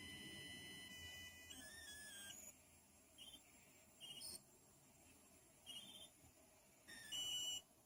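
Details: PC speaker output recorded with high-gain input: high-pitched screeches and chirps come and go in bursts over a quiet hiss. This is electrical interference in the analog audio output, suspected to come from the CPU or RAM, and solved by switching to optical output into a FiiO Taishan DAC.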